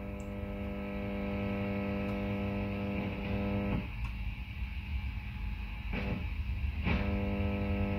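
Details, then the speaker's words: Mezzabarba Trinity 100W valve guitar amp: loud steady mains buzz when an oscilloscope probe ground clip adds a second ground reference, a ground loop from the amp's faulty grounding scheme. "it's pretty obvious what's happening there right so as soon as this amp a second ground reference the amp goes into a ground loop situation"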